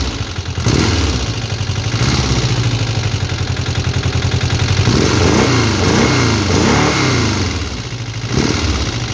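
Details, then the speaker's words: VW Beetle with Type 4 engine, first start, running rich and leaking at a rocker cover: fast light ticking clatter over an uneven idle that blips up and down; noisy rockers, hydraulic lifters not yet adjusted, cause unconfirmed. "On entend pas mal les culbus, hein. Ouais, parce que les culbus, c'est des pousseurs hydrauliques, hein, qui ne sont pas réglés, rien."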